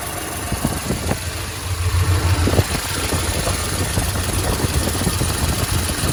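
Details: Idling engine with light irregular ticking taps over a low hum, strongest early then fading; suspected lifter tick, not confirmed.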